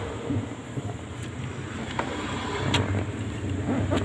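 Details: Ford Explorer rough idle, engine stalls/dies when the AC is on: uneven, lumpy idle with irregular dips and occasional ticks over a low hum; cause not evident.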